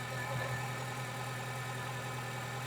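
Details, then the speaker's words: Renault Clio 172/182 F4R petrol engine after fitting non-genuine coil packs: fairly steady idle with faint unevenness, about 85% right; small residual miss, injector suspected next. "that sounds good to me. It's got a little bit of a Well, it's not even a miss. It's about 85% where it needs to be."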